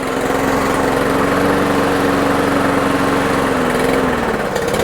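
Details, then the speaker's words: Toro Super Recycler mower, baseline before fuel drain and Seafoam, gas of unknown age: buzzing note sags and climbs back unevenly, hunting up and down, little change under throttle; dirty carburetor suspected, engine surging at idle. "A lot up and down, a lot of surging. She wants to run, but she ain't running right."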